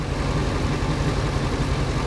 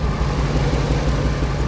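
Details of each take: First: 2001 Ford F250 5.4 V8 plow truck after cylinder 5 spark plug and coil replacement for misfire, intake not yet refitted: brief popping at start, then deep even V8 idle, quiet with no popping or stumble; normal idle. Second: 2001 Ford F250 5.4 plow truck at idle: deep stumbling idle with uneven popping beat from the exhaust; code P0305 cylinder 5 misfire, plug already replaced, ignition coil being swapped.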